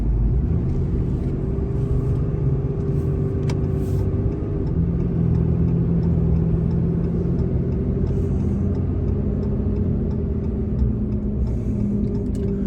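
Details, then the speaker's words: Ram 2500 on Kenda Klever RT aggressive tires with 28,000 miles of wear (121,600 miles on truck), freeway at 72–75 mph: steady droning hum at even pitch over road rumble, tires noisier as they wore: tire tread hum. "Up to like 72 where you normally drive around at. 75. You can hear them."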